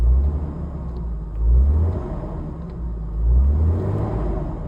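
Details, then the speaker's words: 1997 BMW 328i E36, new MAF sensor fitted, live data showing it responding: deep steady rumble swells cleanly with two throttle blips and settles back; normal revving. "Let's give it some throttle and see if it goes up."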